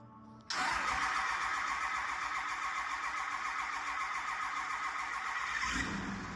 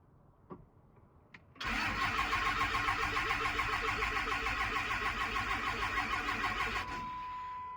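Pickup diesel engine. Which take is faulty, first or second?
second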